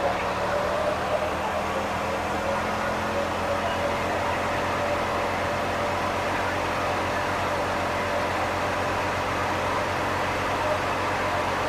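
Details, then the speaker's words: 1979 Lincoln Continental just revived after 32 years abandoned: even, steady running hum under hissy background, no misses, stumbles or knocks, smooth like it was shut off yesterday. Normal idle. "Look at how smooth it's running, guys. It's like it was just shut off yesterday."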